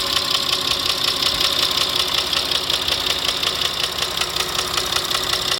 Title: стук в двигателе